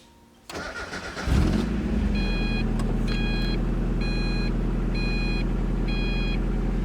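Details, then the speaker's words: Cold start of a project car that sat 10 years, everything swapped out, in neutral: brief crank, catches within a second, settles into a steady even idle with a chime beeping; starts right up, healthy cold start. "Starts right up. Car's been sitting for 10 years, swapped everything out."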